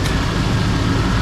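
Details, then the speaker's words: 1991 OBS Chevy 1500 after replacing a failed one-year-old AC compressor, recharged with three cans of R134a. Engine runs with the new compressor engaged: an even hum with no knocking, rattle or grinding. Normal, very quiet compressor operation. "man, that's super quiet."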